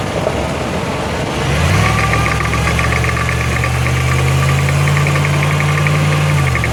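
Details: 2005 Jeep Grand Cherokee 5.7 with 136k miles, accelerating uphill, stereo recording (right channel toward the axle, left toward the driveshaft): steady low drone under load. A differential is suspected, not confirmed.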